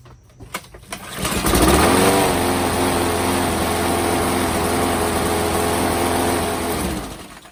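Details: Craftsman 625 series mower, Briggs and Stratton engine, after replacing a broken plastic intake and spark plug; catches, runs with an uneven lumpy beat, then dies. Flywheel key found misaligned, maybe 2–3 degrees, knocking ignition timing out.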